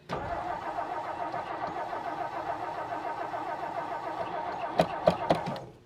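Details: 1959 Meteor left in the bush, steady starter cranking roughly three to four turns a second with no catch, then a few sputters; no fuel reaching the carburetor, fixed by adding gas.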